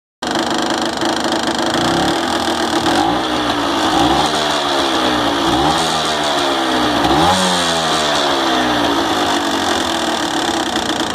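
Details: Honda NSR 125 Foxeye (JC22) two-stroke revved in short blips, close-up, over a constant tinny metallic rattle: piston slap.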